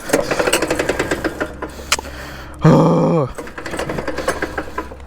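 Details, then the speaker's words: Axis M200 mini bike engine that failed while riding, oil confirmed present: heavy irregular knocking hammers through each start attempt, with a brief harsh whir in between. Mechanical knocking from badly damaged internals; the engine is finished. "look what happens yeah that's done y'all hear that that's done"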